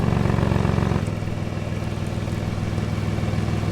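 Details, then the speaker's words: Car with an exhaust leak, likely ahead of the O2 sensor, that set the engine light, caused by a dime-sized pinhole: steady idle with a sharp puffing tick about three times a second; after patching, a little noise remains. "Exhaust is fixed is there's still a little bit of a noise, but I'm not putting a whole new exhaust on it. There was just that one big pin hole that was like the size of a dime."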